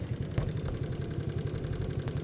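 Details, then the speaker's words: 1995 Honda Astrea Grand 100cc idling with a quick light ticking over the exhaust beat; oil rarely changed, seal damaged, and the noise began after fitting a Jupiter seal; reportedly the seal rises and gets struck. Cause unconfirmed. "klikliklik gitu katanya sih seernya ini apa namanya kenaikle jadi kebentur gitu jadi Bunyi"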